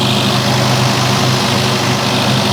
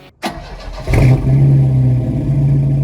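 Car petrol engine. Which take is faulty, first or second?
first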